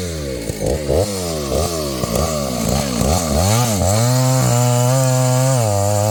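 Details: Husqvarna 285 (85cc) two-stroke chainsaw after a seal replacement and a shortened bar, cutting wood: bogs and recovers through the cut, then holds an even, clean-revving drone without stalling; running properly.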